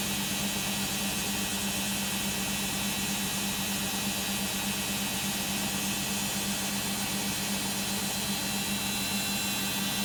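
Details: Beko WM5100W 5kg washing machine found on the street, test spin with rags: loud, steady whirring roar with low hum and hiss through a long spin of about 10 minutes; cause of the noisy spin not determined.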